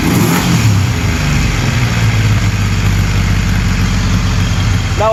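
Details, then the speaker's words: 1981 Yamaha XS850 Special during carburetor synchronizing, gravity-fed, no choke, breathers off, after reseating the slipped number one carb. It holds a steady, slightly heavy, high idle of around 1500 rpm with an even low beat and no stumble. "it's idling a little bit heavy, a little bit high. It's idling right around 1500."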